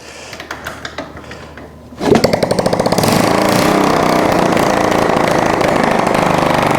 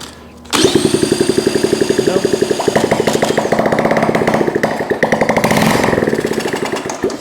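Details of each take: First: Honda ST70 after top-end rebuild and new carburetor, first start in years with no exhaust fitted: quiet kicks, then fires and settles into a fast, even, sharp open-pipe crackle about four beats a second; runs clean. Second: Honda ST70 single-cylinder first start in years after top-end rebuild, ignition hot-wired stator to coil, running on starting fluid only; catches and pops roughly for seconds, carburetor not delivering fuel, to be swapped.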